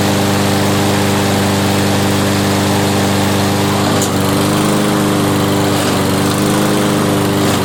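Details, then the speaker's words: Toro front-wheel-drive mower, 7.25 hp 163cc Briggs & Stratton, left with gas over winter and wouldn't start; after repair and about 10 minutes it runs: steady even buzz, no misses or surging, healthy. "Well, there you go. It's running now. It took about 10 minutes, and she's"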